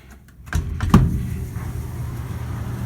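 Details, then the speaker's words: Panda PAN760SF 3.75 cu ft dryer with a warranty replacement motor (the old one wobbled and grated): a single thump, then a low, steady hum with no grating or scraping; running smooth and healthy. "that's why they had to put these little film walks in here but this seems to be running nice and smooth"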